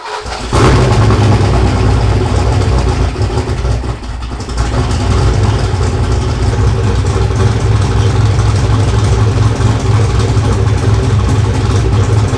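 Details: Fox Body Mustang after a turbo kit install, with the turbo re-clocked to cure a belt problem and the alternator refitted: a deep steady rumble with a slight lope and no squeal or whine. The belt drive is quiet and healthy.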